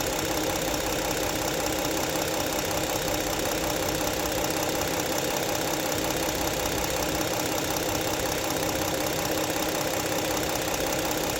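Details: 2016 Ford Explorer Police Interceptor AWD, 3.7 V6, 111,079 miles, warm idle: even, steady hum with no missing beats or rattles; idles smoothly.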